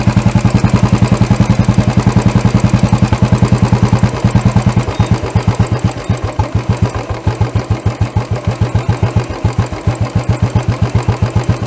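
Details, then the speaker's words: Royal Enfield BS6 single-cylinder carburettor idle tuning, mixture screw adjusted: slow thump around three a second that turns weaker and uneven. Only a small amount of fuel mixture is passing, so it is running lean. "अभी भी small amount of fuel और का mixture है जा रहा है मगर यह इसको हम बोलते हैं लिए मोड़"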